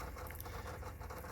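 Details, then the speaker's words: Sony Mini DVD camcorder disc in an old duplicator: low spinning hum with irregular rattling patter as the drive struggles to read the disc, which has a mark and possible manufacturer defect. "It doesn't sound good. Hear that rat? It sounds like it's rattling inside. It's having a hard time reading that."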